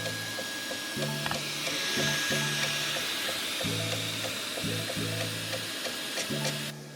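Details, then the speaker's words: Creality K1 Max 3D printer extruding after unclogging: irregular clicking three to four times a second over the motor hum as the extruder gears skip. Suspected clog or too-tight filament spool; loosening the spool fixed it. "now you hear that that's the gears not working as well again so there might be another clog or simply the filament spool itself is just topped or it's too tight"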